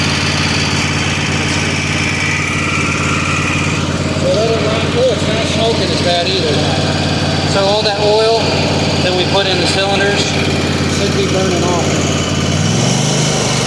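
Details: Weed Eater garden tractor, Tecumseh TVT691 two-cylinder, just refreshed with new oil and filter, warmed up and charging: steady, even drone at high speed with no misses or knocks; normal running.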